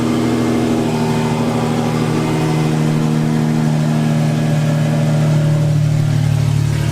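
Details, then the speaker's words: Cammed full-bolt-on Infiniti G35 V6 after crash rebuild, cam timing redone to fix exhaust cam bank 1 out-of-time code: deep choppy lope, regular steady beat, no misses or rattles, no check engine light. "Last time we were getting an exhaust cam out of timing code from the cam sensor, but now that I redid timing, everything is awesome. Oh. Listen to that idle, dude."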